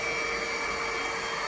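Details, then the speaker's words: ANKO cordless stick vacuum (Kmart NZ) about two minutes after a full charge, battery draining fast: a steady high whirr with airflow hiss audibly losing speed as the motor slows from the low battery. "it's been couple of minutes and the battery is dropping real fast now you can actually hear the engine slow down take care of the electric motor now it's really dropping"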